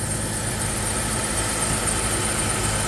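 A thin, steady high squeal rides over a rough, even idle and stays level; the source is uncertain and could be transmission related. Cause suspected, not confirmed.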